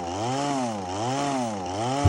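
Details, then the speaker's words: Power PRO24CCHTA 24cc petrol hedge trimmer at full throttle, trigger held: revs rise and sag in steady waves about every second, never holding, eventually bogging down and cutting out; faulty carburettor, replaced. "it's just intimately revving and um it will eventually bug down and cut out"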